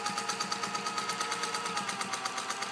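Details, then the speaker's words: Restored Bernina 117-K vintage sewing machine with rotary hook, sewing a short stitch: light even ticking at about nine stitches a second with a soft whir and no clatter. The rotary hook partly explains why it runs so quietly. "This, by the way, is a rotary hook, and that partly explains why it runs so quietly."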